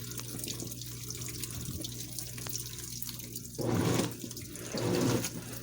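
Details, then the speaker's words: Washing machine on Heavy Duty cycle with all options, initial stain treatment with unusually little water; splashing then harsh gurgling surges as recirculation pump sucks air. Recirculation pump struggling from low water level. "You can hear the noise the recirculation pump's making, and it's not too pleasant. It's not happy at all. This is seriously low because of the fact the pump is struggling hard."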